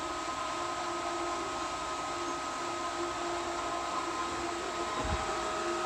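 Constant high-speed motor whine with a steady hollow rush of air and water and no rattles; the pump is running fine and still priming.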